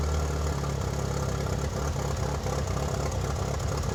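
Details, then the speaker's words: 1997 Mitsubishi Eclipse GSX first start after sitting almost 5 years, exhaust now hooked up: low, slightly uneven petrol idle, running a little rough then smoothing out a little; owner has obvious vacuum leaks. "Started up nice and easy, running a little rough now. Much quieter since the exhaust is hooked up. smoothing out a little. I do have some vacuum leaks, obviously."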